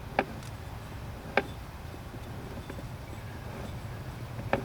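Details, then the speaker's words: Removed 1992 Harley-Davidson Evo Softail 5-speed transmission, turned by hand after a broken shifter spring and grinding: three sharp metallic clunks in the deceleration direction only, something internal hitting. "clunk again clunk this way is fine so this is on the deceleration right there it's it's hitting something and it makes a hell of a noise when you're driving it"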